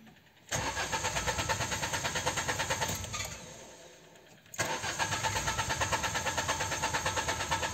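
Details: Peugeot 206 CC running on E85 ethanol after new spark plugs and fuel filter: runs with uneven pulse, fades nearly out, then refires into rough idle; repeatedly fails to restart. Hard starting.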